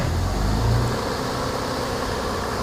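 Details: Toyota Camry with an intermittent no-start and backfiring, fixed with a new sensor that now matches the cam sensor's amplitude: the petrol engine is held at a steady raised RPM with a smooth, even hum and no misses, pops or knocks. It runs clean.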